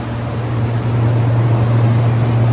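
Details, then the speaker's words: Rapid 500 A 12 V three-phase air-cooled rectifier, 480 V input, 6 kW, remote controlled, with volts and amps raised: strong steady low hum near a hundred cycles with fan rush, holding even as output rises; normal operation under load. "Very nice working machine."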